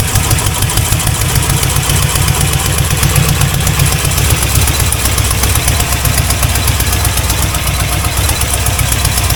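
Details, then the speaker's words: C4 Corvette 350 after an engine reinstall; steady, even idle with no rod knock; 45 psi of pressure, running rich, not charging, timing still off; normal idle. "No knocking. 45 lbs of pressure. And it's just running really rich."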